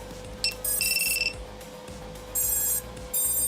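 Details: Quadcopter with a 4S battery plugged in: short bursts of high musical beeps from the motors right after connection; the usual motor startup tune, nothing wrong.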